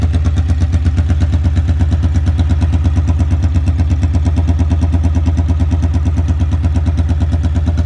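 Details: 1982 Honda Magna V45 VF750C after an oil change, choke zip-tied open: very loud, deep, even thumping idle about three pulses a second, raw unsilenced bark because no muffler is fitted.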